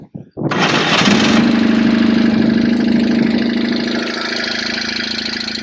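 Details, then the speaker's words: BMW R1150GS boxer in neutral with exhaust fitted: starts and idles with light, fairly quick top-end tapping over the exhaust note; owner suspects faulty pushrods and considers upgraded ones, cause unconfirmed. "It just sound a little tappy. I don't know if they're supposed to sound like that. I'm not an expert with these, but does sound quite sweet, that exhaust."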